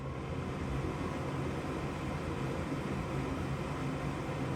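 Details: Gas furnace that only makes noise with no flame; steady low inducer fan hum with no burner whoosh. The igniter reads OL (no continuity) despite 120 V supplied, so the igniter has failed.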